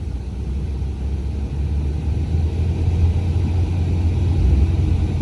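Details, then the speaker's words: BMW 740Li F02 (2008–2015), A/C blower with blower box accessed, fan stepped up from slow: deep drone growing louder and rough at high speed; blower noise, to be opened to check for dust or leftover paper inside. "Laju speed dia, blower dia buat lah bunyi."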